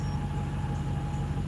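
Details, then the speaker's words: Toyota Tundra, loaded with food, idling while codes are read: a thin steady whine over the low engine rumble, holding one pitch; source not yet isolated, AC compressor known to need replacing. "and I got to isolate what that noise is. Something is whining and wearing."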